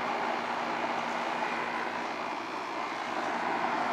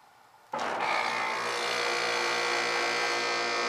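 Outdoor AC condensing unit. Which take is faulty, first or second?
second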